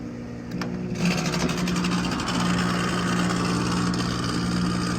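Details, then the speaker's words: Six-year-old (2016) outdoor AC condenser unit, not cooling: loud steady hum with harsh rapid rattling; pressure stalls at 188 instead of dropping, compressor failed prematurely, possibly under warranty. "它的声音特别响，我们看一下啊。哇，好像是压缩机的声音，哇，好像是压缩机的声音。"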